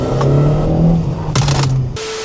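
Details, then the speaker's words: Ford Transit Connect petrol van under acceleration after replacing a failed coil pack that caused a severe misfire: engine note climbs steadily and evenly with no stumble or popping; pulls clean, misfire fixed. "As you and the camera can tell, it pulls really nicely now."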